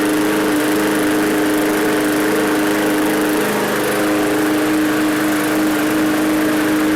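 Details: Free roadside MTD push mower, low fuel level: small single-cylinder engine runs at a steady, even speed with a constant buzzing note and no misses or surging; normal running.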